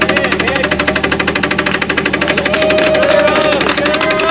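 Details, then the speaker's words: Jeep XJ off-road challenge vehicle: hard fast regular knock, roughly nine per second, with thin whistle behind it; heavy internal engine knock, suspected rod hitting the oil pan, not confirmed. "A rod hitting the oil pan. Is that what that is? I think It's a rod hitting the oil pan."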